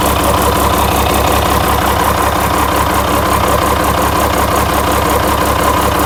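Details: International DT360 diesel, intended for a swap into a 1973 Ford F250 crew cab, idling during a blowby check: steady clatter about three beats per second, no knock or stumble; healthy, with practically no blowby.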